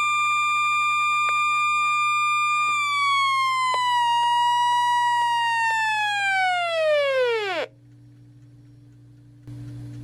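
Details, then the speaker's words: Realistic Weatheradio Alert III model 12-140, never worked correctly: high steady alert tone sags and slides down in pitch before cutting out; owner unsure if normal, cause unconfirmed. "even know if that's supposed to be normal but that sounds awful"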